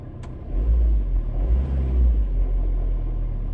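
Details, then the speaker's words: Ford Transit Connect van just after the seized starter motor was cleaned, greased and reassembled: brief crank then a steady, even low idle rumble with no knocks or misses; engine runs healthy. "She's a running. So that's all it needed doing. Just needed the starter motor greasing up, cleaning up, and putting it back together."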